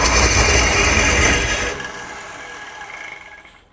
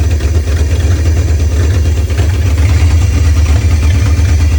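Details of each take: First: 1968 Ford Torino with suspected seized engine, fuel not yet hooked up, electrical smell noted: harsh, fast rattling whir while cranking that fades without catching; owner suspects a failing starter, possibly clogged exhaust, engine not locked up. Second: 1968 Ford Torino, formerly seized engine, after carb fix (stuck float, backwards accelerator pump spring, misrouted vacuum lines), fed from a 5-gallon jug, started by jumping the starter: deep, even rumble, running fine; oil pressure still unknown.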